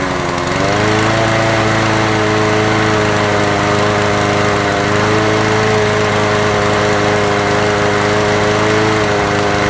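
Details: Honda HR17 lawnmower single-cylinder engine being recommissioned after no-start problems. It holds a smooth, even, steady buzz with no misses or surging, running normally. Fuel then leaked at the carburetor; owner suspects a dead float-bowl gasket.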